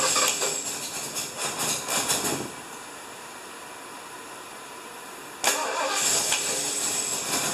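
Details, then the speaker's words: 1975 Lincoln, just reassembled, first start attempt: uneven cranking bursts that never catch into a running beat, then a sharp pop. No start, likely because ignition timing is out with the distributor one tooth off; it is to be reseated and timed. "yeah I think we got the distributor one tooth off we're gonna pick it up and put it back down"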